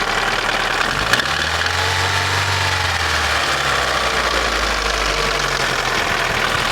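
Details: Daewoo Nexia N100 1.5 8-valve petrol at idle, hydraulic lifters already replaced: light steady tapping over a steady hum; knock inside the engine, source not pinned down.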